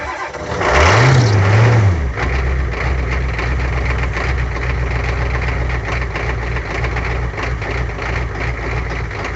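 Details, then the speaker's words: 1985 Ford F250 with 6.9 IDI diesel, cold start after the fuel gelled and was treated with anti-gel: brief crank, then it catches cleanly and settles into a steady, even diesel idle clatter with no misses. "There you go. Started back up after being gelled. I'm just gonna let it run for a little bit."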